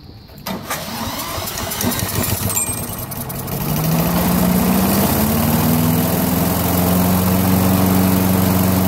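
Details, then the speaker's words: Briggs & Stratton 6.75 engine on a Craftsman chipper shredder vac, after cleaning the fixed-jet carburetor, running on an auxiliary fuel tank, started with a drill, choke on, throttle raised: catches and runs smoothly with no misses; normal. "What I'm going to do is just manually start it with a drill and make sure it runs. Choke it, raise the RPM, open the throttle up a little bit."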